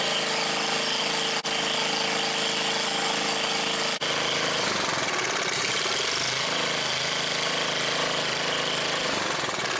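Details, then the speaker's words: Old Briggs & Stratton scrapyard generator, guessed late 70s or early 80s, with fresh oil, primed and on choke: a loud, rapid crackling open-exhaust bark, steady and even with no knock underneath; the engine runs healthy. "Running like $1,000,000. Well, that thing just totally blew my mind, man."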